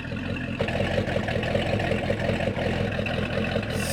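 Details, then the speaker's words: 1996 Sea Ray 260 big-block V8, run after sitting for years, idling steadily at good RPM, a little rough: faint quick lifter ticking over the exhaust rumble, no knocking or rod knock. "good RPM it does have a little you can hear a little bit of a like lifter noise in there but it's not terrible"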